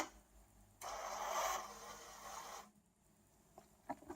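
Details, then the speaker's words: Racal 543 (TUAAM) automatic antenna tuner for Clansman PRC 351/352 VHF, into a dummy load after frequency steps; short even whirr of the tuning motor for about two seconds, then light relay clicks; normal clean tuning cycle. "you can hear how nicely it's working very nice extremely nice and once again hit tuning and we aren't you so as you can see the device is working device is working very well"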